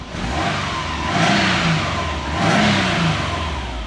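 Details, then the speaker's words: Subaru sleeper with aftermarket ECU, after grounding the original crank/cam wiring shielding: it climbs smoothly twice to about 4,000 rpm and settles back without stumbling or cutting out. No voltage loss or lost sync; the trigger dropout is fixed; normal high revs. "Got her up to 4,000. No loss in voltage. Didn't lose sink."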